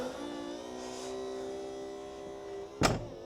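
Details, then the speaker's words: Mercedes S55 AMG (M113K supercharged) power boot lid, car suspected of past rear-end repair: steady motor hum wavering as the lid lowers, then sharp latch clunk; rough-sounding closing, often not returning flush, cause not confirmed. "Um unfortunately, that doesn't also sound that great since we got it back."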